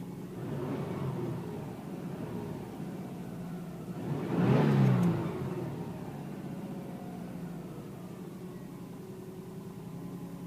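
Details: Mercedes Sprinter 311 CDI, about 2003, with a suspected injector puffing that the owner still hears: low, even engine hum with one brief swell, no knocks or rattles; normal idle.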